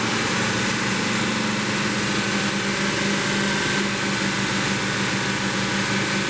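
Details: 1972 Plymouth Roadrunner 383 Magnum V8, after sitting 15+ months, during cam break-in: flat unbroken drone at raised revs with no knocks or misses; steady fast idle.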